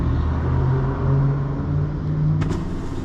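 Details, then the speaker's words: 2007 Chevy Tahoe passenger power window motor bench-driven by shorting switch plug wires with insulated paper clips; window wouldn't move from either switch. Steady low motor hum as the glass travels, then light clicks; motor fine, fault is in the switch. "And that'll roll the window up, see? So that tells me the motor's fine, and that means there's something wrong with the switch."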